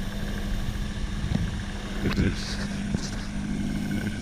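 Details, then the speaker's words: 1984 Ford LTD Crown Victoria V8 after fixing a carburetor air leak with a new gasket. It starts easier than ever and settles into a low, steady, even idle with no stumbles or hunting. "well uh that started easier than it's ever started so I'm going to say we're moving in the right direction with that"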